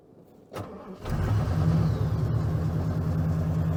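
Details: 1990 Ford F-150 4x4 plow truck in deep cold after a foot of snow, owner suspects bad IAC valve: brief crank, catches and settles into steady even idle it wouldn't hold the day before; normal cold start and idle.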